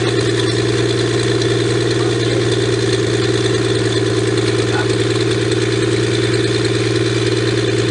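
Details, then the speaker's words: 1954 Pontiac Chieftain 239 straight six revived after years sitting, started with choke held closed, clutch working: even, steady idle with firm low drone, no knocks or misses; spitting rust, smoking less, rings probably freeing up. "next much work even the clutch works awesome it's firing out so much rusty bits is it just me or did that smoke a lot less this time"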